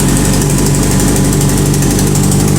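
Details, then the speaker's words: Kawasaki Z750 motorcycle at cold idle, not revved because the engine is cold. Fast, even metallic ticking that sounds like engine knock is actually a heat shield rattling at the exhaust header, a chronic Z750 issue. "Então esse barulho aí quem não conhece vai falar que se o motor tá batendo que você vai ter que mandar abrir o motor você vai ficar em choque sua cabeça vai ferver"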